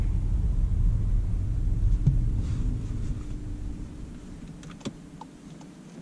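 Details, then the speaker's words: VW Golf GTE plug-in hybrid pulling away in full electric mode: only a soft low road rumble fading as it rolls, with no whine or knocks. Electric acceleration is strong and the drive sounds normal. "Îmi place foarte mult demarajul pe care îl are pe electric. îmi place, îmi place mult."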